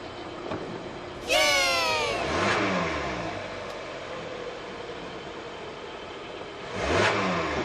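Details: Kia 2.4 GDI Theta II (G4) engine, cold, after pump replacement at the dealer cured an intermittent noise: revs blip up and settle cleanly twice with no knock, tick or rattle; normal engine revving.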